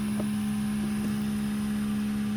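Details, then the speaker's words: Steady, even mid-pitched hum of the PALM mower's 775 cutter-blade motor with metal blade on a modified tank chassis, run at about 5 V through a buck regulator from a 13 V battery being charged, 30 minutes into an endurance test; smooth, normal. "So this is a combination of it charging and the battery at the same time. You can still hear it humming in there."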